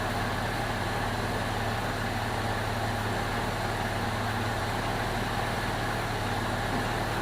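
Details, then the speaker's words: 2002 Jeep Liberty 3.7 swapped engine at warm idle, temp normal: smooth, even steady hum, no misses, knocks or ticking; healthy, though check engine light on (hard start or coil pack suspected) and smoke from oil-covered exhaust. "I'll put the scanner on it. But seems to be running pretty smooth."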